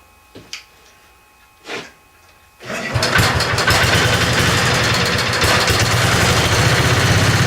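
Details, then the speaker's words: Tinkering-project 725 small engine with an updraft carburetor, first start after its bowl was filled through a tube from a bottle. Clunks, then it catches into a fairly even idle. It runs only with partial choke; the owner assumes it isn't getting full fuel flow. "it seems to seems to have to have some choke on to run at all I'm assuming that it's not getting all the the fuel flow that it probably could"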